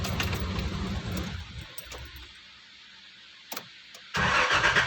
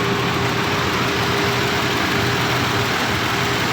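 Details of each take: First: 1990 Nissan Safari: starter turns the engine over at an even rhythm, about three beats a second, but it never catches; normal cranking, no start. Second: 1990 Nissan Safari that had cranked normally but would not start, now fixed: a steady, even idle with a faint constant hum and no misses, stumbles or knocks; it sounds healthy.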